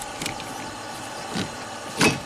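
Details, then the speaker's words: 2005 Volvo XC90 Turbo, 80k miles, stalls after three minutes with low fuel pressure codes, much DIY wiring: irregular short whirring bursts as windshield wiper motor starts and stops on its own; cause unknown, wipers never worked right. "there's the vanan that keeps on running P the engine computer you can hear the wipers keep trying to do"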